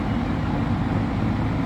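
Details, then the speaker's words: Suzuki GSX-R750 after cylinder head work for low compression from poor valve seal and intake manifolds swapped to fix air leaks: smooth, even note with a steady low hum, no hiss or stumble; running as it should. "So, got the filter oil and this thing's just running as it should."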